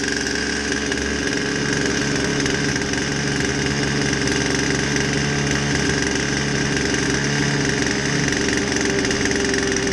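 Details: Poulan 2150 chainsaw with a won't-start complaint, after a basic tune-up with a fresh air filter: steady, high-pitched two-stroke buzz holding even with no stumbles or surging; running healthy.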